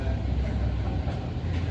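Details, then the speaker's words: 1971 Chevy C10 with a swapped-in Duramax diesel: deep, steady churning as it turns over but never catches; crank-no-start, likely out of fuel after the fuel filters and lines were left loose; grounds later found misplaced. "We had all the fuel filters loose, the fuel loose. It's probably out of fuel."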